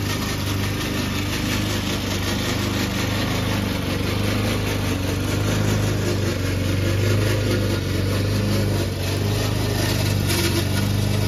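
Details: Old Toro Recycler mower cutting Kentucky bluegrass, binaural recording, before fix: steady engine drone under load with a coarse, rattly clatter from the drive system; the noise was later solved with WD40.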